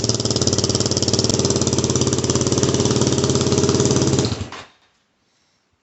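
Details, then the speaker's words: WR250R fitted with a cheap CRF230F muffler, a couple hundred miles on, fiberglass packing blown out and DB killer installed, before repack: single-cylinder thumps at steady idle with harsh, raspy, overly loud bark, then shuts off; loud exhaust from blown packing. "um yeah this is a real shitty Muffler so I'm looking to repack it"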